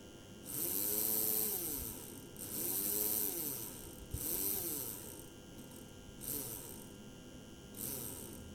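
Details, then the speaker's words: PIKO BR62 model locomotive motor-gearbox unit at medium speed from the transformer: small motor whirring up and down with gritty gear whine over faint mains hum, quite loud; owner suspects missing lubrication and a poor-quality motor. "also ich finde das eigentlich schon ganz schön laut klar die Geräusche werden hier auch durch die durch die dritte"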